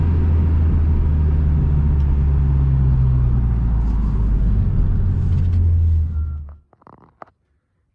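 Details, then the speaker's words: E46 BMW M3 driven after the failed CSL airbox dropped pieces into a cylinder, redesigned airbox fitted: deep even rumble pulling hard under load with no knocks or misses, then revs drop; engine still rips, healthy. "so let's take it for a drive woo and that's sounds good I haven't heard that sound in a long [Music] [Music] time woo [Music] amazing oh she still [Music] [Music] rips"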